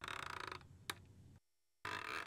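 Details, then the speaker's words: Rain Bird 3500/32SA rotor sprinkler turret turned right by hand to find the right stop. Rapid ratcheting ticks, then a single sharp click at the end stop, with the arc around 140°. Normal arc stop click. "Now, let's turn it to the right and find our right stop. And you hear the click and it stops."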